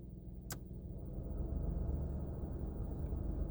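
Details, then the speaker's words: 2019 VW Polo 1.0 rental, engine idling, ventilation fan switched on without AC: low deep idle rumble swells and steadies as revs rise, cabin vibration felt; idle speed rises under blower fan load, owner unsure if normal. "so the engine has to do more i can feel a noticeable rumble in the car like a vibration in the car the car's just like shaking a little bit it just sounds like the ac compressor is on"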